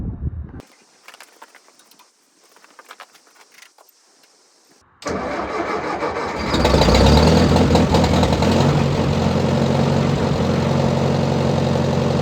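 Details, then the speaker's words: Half-track tractor, frozen into the track after rain, thaw and freeze, cold start in snow: engine catches right away and settles into a steady, even idle around four beats a second; normal cold start. "As expected, it had no problem firing it up, so we'll warm it up and see if it moves."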